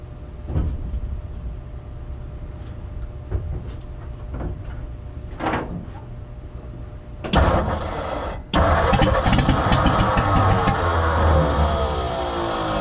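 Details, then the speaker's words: 1957 Ford F100 revival, fuel pump not working due to a bad tank, gas squirted into the carburetor: a few short cranks and coughs, then it catches and settles into a fairly steady low idle, running much better; fueling issues remain. "that is pretty good A lot better than what it was I honestly think this carburetor might actually be good I might not have to touch it it's having some fueling issue obviously"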